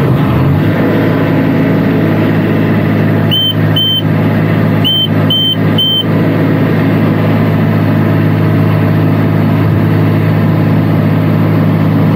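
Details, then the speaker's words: Niftylift HR28 SP85 with errors 01CE/01C5/01C4 (engine and motor controller not communicating with PLC), restarted with a suspect converter disconnected. Engine catches straight away and holds a steady, even idle with a few warning chirps. Normal start and idle. "okay that's no problems at all something is very likely the problem is here because right now i disconnect that and i have no problems to start it up started straight away"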